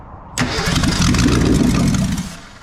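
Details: 1983 Mercury Capri RS 5.0 V8, 5-speed, sat in a field over 20 years with a frozen motor, fired on brake cleaner as fuel: catches at once into a strong even rumble for about two seconds then dies, sounding healthy.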